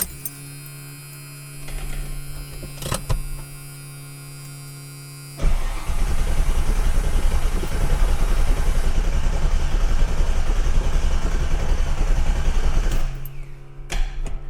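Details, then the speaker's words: Ford Mustang (1982) with MSD ignition and a large fuel pump: pump hums, then starter cranks evenly about seven seconds without catching; fuel pressure checked fine, so the fault is no spark; crank, no start. "all right so you're going to hear our awesome big giant fuel pump which is working perfectly we do have fuel pressure by the way everything checked out it's a spark"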